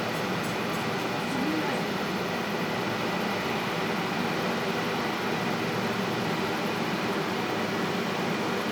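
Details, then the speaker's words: Constant, even, rhythmless drone from the large cooling fans of a cryptocurrency mining farm set up right under apartment windows, running day and night; heard from inside the apartment in the evening with the window open. "Вот так гудит эта дрянь. Если вы думаете, что я накрутил звук, то вот я стою возле камеры, и вот мой голос слышно так. А так слышны эти огромные вентиляторы."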